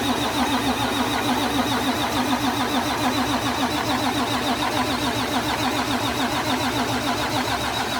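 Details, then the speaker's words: Freshly rebuilt 12.7 L Detroit Series 60 diesel (PDI performance parts), first start: cranked without firing to build oil pressure and move fuel, steady even chatter about three to four beats a second, no clunks or knocks. Normal cranking without start. "Gonna crank it over, gets the oil moving through things, build a little oil pressure, right?"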